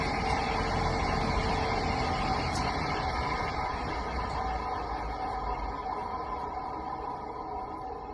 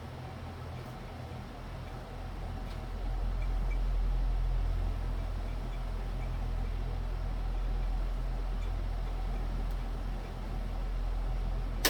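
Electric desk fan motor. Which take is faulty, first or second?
first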